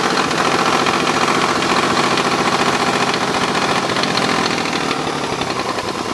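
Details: Mazda RX-8 rotary engine running loud and busy with a harsh rasping chatter riding over it, roughly three or four beats a second; abnormal engine noise, cause unclear.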